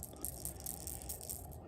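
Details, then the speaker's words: Old in-tank fuel pump shaken by hand gives a dry scattered rattle a new pump lacks; owner suspects a broken internal part lets fuel drain back, pressure dropping from 40 to 20 after key-on, low fuel pressure. "don't know if you can hear that but it's got something rattling in it and if I shake my new one it doesn't make a rattle so I'm thinking there is something broke in there"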